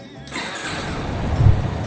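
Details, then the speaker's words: Yamaha Fazer 250 after oil and filter change and new battery: the starter cranks the engine smoothly with no strange noise. "barulho esquisito motor de arranque perfeitinho"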